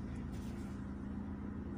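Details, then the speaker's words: SEAT Leon Mk1 1.8T with TIAL blow-off valve, original spring refitted with shims after the valve had leaked: steady, even idle hum, constant low pulse, no hunting, surging or misses; revs now hold instead of dropping, running smoothly. "Parejito, banda. Se escucha parejito, la verdad."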